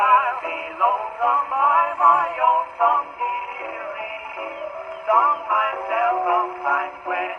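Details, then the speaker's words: 1919 Victor Victrola VV-IV after an overhaul with a rebuilt governor, mainspring and Exhibition reproducer, playing a worn Banner record: thin, boxy male vocal that sounds harsh and smeared through the midrange; the distortion comes from the worn record. "Enough of that. That sounds terrible. Oh well. You're not going to get every record to be good."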